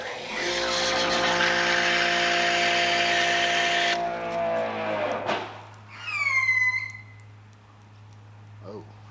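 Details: Grandfalls Pro pressure washer with 1.1 mm orifice, foam cannon: pump hums steadily, then shuts off and a shrill falling firework-like whistle screams about a second as the pressure relief valve vents; annoying relief valve whistle.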